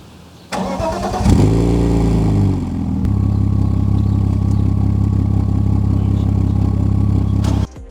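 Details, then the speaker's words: BMW E46 M54 after a crank-no-start fix and new spark plugs (old plugs fouled): catches, then idles with an uneven, stumbling misfire. Probably linked to stored codes. "Also, I'm going to fire the car up. It runs better, but unfortunately there's this misfire, which is probably linked to one of the codes that you've seen right here."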